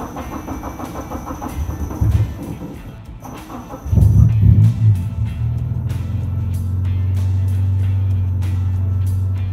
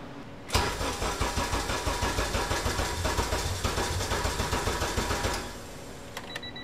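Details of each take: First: Budget Honda Civic EG hatchback with a K-series engine swap, first start: the engine cranks, catches and settles into a steady, even low idle with no knocks or misses, with music over it; normal start and idle. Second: K-swapped Honda Civic EG, K23/K20 turbo hybrid on a newly loaded 05-06 RSX base ECU: long labored cranking about three pulses a second with no clean catch before dying; wrong fuel injectors for the tune, won't idle.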